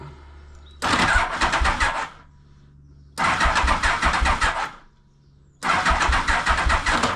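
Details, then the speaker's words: 1991 Yamaha Venture Royale, choked and unstarted for a couple of weeks, before starter clutch replacement: three harsh one-second grinding bursts while cranking without catching; the starter clutch is slipping and crunching on engagement. "Slipping a little bit, eh? Oh god, I got nothing. Oh, there we go. Yeah. Yeah. See, I don't want to go too far away from home with it, you know, crunching like that."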